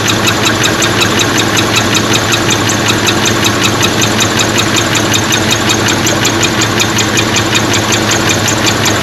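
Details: 1977 four-speed Pontiac Trans Am, first run after about 17 years sitting, a pushrod plugged and rockers not oiling: steady idle with sharp, fairly even light tick about two or three per second; exhaust leak possible, unconfirmed.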